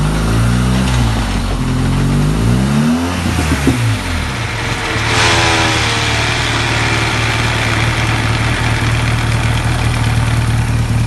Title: Strange Noise coming off throttle